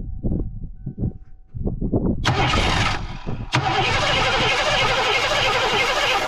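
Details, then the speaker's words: 1987 Mustang GT convertible that sat about 25 years in the Florida sun, started on brake cleaner because the fuel pump isn't running: slow, uneven cranking, then short coughs and roars that won't settle. The engine is flooded, possibly with brake cleaner, and does not start. "I did hear it want to try and start to run I honestly I did I flooded it"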